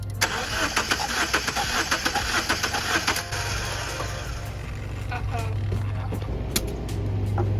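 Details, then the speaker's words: 2002 Subaru Forester that began sputtering and misfiring, ignition suspected, cranked during a compression check: starter cranks with an uneven beat, one stroke noticeably lighter; a weak cylinder with low compression, internal damage found. "it's not spinning over like there's a dead cylinder too you'd hear it when you're cranking it because you hear that lack of compression"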